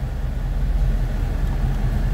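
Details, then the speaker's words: LS4 V8 before being pulled for rebuild, idling: deep low idle with an uneven, lumpy beat growing rougher as revs sag lower; misfire-like, check engine light usually flashes but isn't now. "I'm actually surprised that the CEL isn't flashing right now, because it's starting to run a little bit rougher now that it's getting lower on idle."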